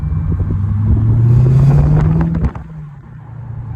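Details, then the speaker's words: 2021 Dodge Challenger Scat Pack Shaker: deep engine note climbing under acceleration with a loose rattling buzz on it, then dropping off; new noise that appears only when accelerating, owner suspects the exhaust, not confirmed. "Bro, that noise was not there, bro. And it only happens when like I speed up, bro. Like when I accelerate."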